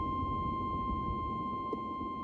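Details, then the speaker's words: Oldsmobile Cutlass G-body: steady, unbroken high buzz from the dash warning buzzer; a previous owner had looped wire around a fuse to keep it live. "So it's something dealing with the dash, because that's, man, listen, that is the most annoying sound, and I cannot, if I can find the buzzer, it'll be all right."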